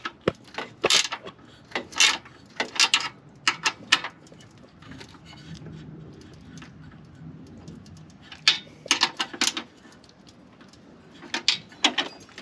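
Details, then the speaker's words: Honda Accord with H22 swap and tucked radiator, new homemade fan shroud: irregular light plastic clatter over quiet idle as the shroud rubs a nearby part for lack of clearance; fixed by adding clearance. "I got that rattling sound noise removed. It was coming from here, right there. What happened was I didn't give enough clearance in between these two, and it's putting a pressure right here."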